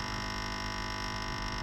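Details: 12 V 8 A car battery charger gives a loud, steady, harsh mains buzz while putting out only about 4–4.5 V, and the transformer warms quickly. The cause is a failed bridge rectifier.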